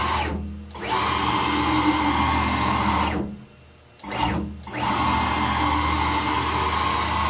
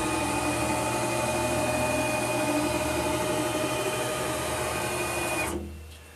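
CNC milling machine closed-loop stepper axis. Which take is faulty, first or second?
first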